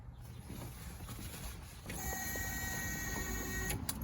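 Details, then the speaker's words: '68 Chevelle wagon with LS engine and newly installed Holley Terminator X Max EFI, key on: thin steady electric whine for a few seconds then cuts off; normal 5-second fuel pump prime. "Fuel pump cycling? Yep, it's got a 5-second prime."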